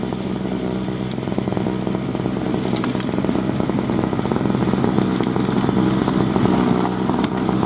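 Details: 2003 Murray single-stage two-stroke snowblower, first run in 5 years, working through snow: buzzy note stays strong and fairly even with no stalling or bogging. Running healthy under load.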